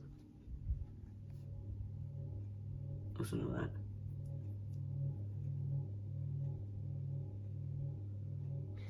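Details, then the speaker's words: 52-inch Näve ceiling fan on low speed, original long downrod replaced with a shorter one, slightly wobbly: low hum with soft rhythmic pulsing about 1.5 times a second; unusual noise, cause not identified. "It's a really interesting noise that this thing is making."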